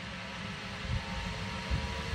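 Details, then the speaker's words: Zanussi SD 2811/W spin dryer spinning empty: a deep, even rumble at steady speed with a faint whistle inside, hardly any vibration and no knocking or scraping; a normal, smooth spin cycle. "sounds sweet that is sweet as a nut let's hear the whistling inside God that is very quiet hardly any vibrations on it"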